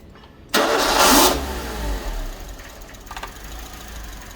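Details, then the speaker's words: Suzuki Swift after a part replacement, with the mass airflow sensor unplugged: engine catches with a sharp flare, then bogs and stumbles to a low, uneven rough run. "She's running rough because the mass airflow sensor's unplugged."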